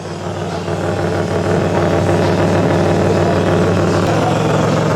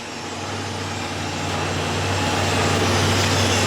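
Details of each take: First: 2006 Chevrolet Impala 3.9L at idle, recorded underneath the car, rear cat-back section fallen off and tack-welded: loud raspy drone with an open puffing note; exhaust leak, fixed by installing a new cat-back system. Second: 2006 Chevrolet Impala 3.9L idling after a new cat-back exhaust replaced the broken, fallen-off old one, clamps checked. Steady, even low rumble with no puffing or ticking; no exhaust leaks.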